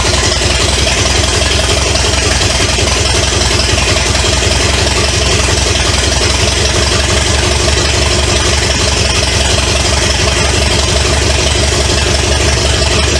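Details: 1970 Pontiac LeMans with Pontiac 350 V8, abandoned for years, first start: loud, raw, even idle, no knocks or ticks. Oil was put in the cylinders to free rings, causing smoke; new water pump and radiator still to fit. Normal idle.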